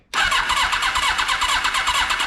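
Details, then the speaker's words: 1982 Kawasaki KZ1000 LTD four-cylinder, sitting about 35 years, no spark from its electronic ignition: steady, quick starter cranking with some compression strokes pushing harder than others, never fires; owner suspects sticky valves, uneven compression while cranking. "nothing and it sounds like maybe we got some sticky valves I don't know if you guys heard that on the compression"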